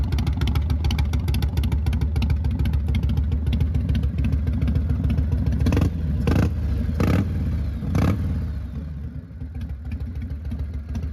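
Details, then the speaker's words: 1999 Harley-Davidson Fat Boy V-twin just after Wood Performance cam, lifters, cam bearing and adjustable pushrods installed, in neutral, timing may need slight tweak: deep even loping idle with light mechanical tick; normal idle. "it's not my favorite pipes. I will say that"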